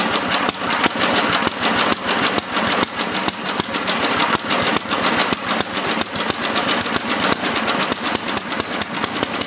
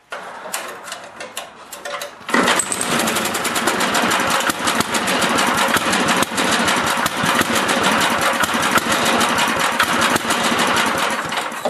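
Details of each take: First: Older 8HP Briggs & Stratton engine on an old Lawn-Boy two-stage snowblower after carburetor cleaning and leaning a rich mixture screw; even, crisp small-engine chatter at steady pace, no surging or sputtering; normal idle, carburetion right. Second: Older 8HP Briggs & Stratton snowblower engine after carburetor cleaning: rapid, lumpy, slightly uneven beat, running a bit rich; fix is turning the mixture screw clockwise, starting with half a turn, to lean it.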